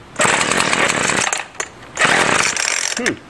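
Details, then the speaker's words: String trimmer started on full choke then half choke at full throttle, carb untouched: buzzes hard about a second, drops, catches briefly, fades out; starts then dies, suspected running only on residual priming gas. "did okay half choke full throttle i think it may have been running off residual gas"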